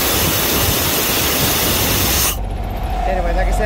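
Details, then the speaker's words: Vanair 185 UDEC PTO-driven rotary screw compressor on International 4700 diesel truck, PTO rewired: strong steady air rush from outlet, then clean cutoff; builds pressure, normal discharge. "yeah the compressor turns on and is building up pressure and everything and seems to be working fine"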